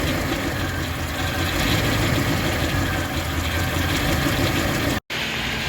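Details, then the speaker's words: Toyota with starter under the intake, towed in disassembled, after tightening throttle linkage: fires and settles to steady, even petrol idle with no knocks or misses; runs fine, though small fuel leak, power steering line and possible intake gasket leak remain. "yeah all right other than power steering he's got a line to fix but runs all right"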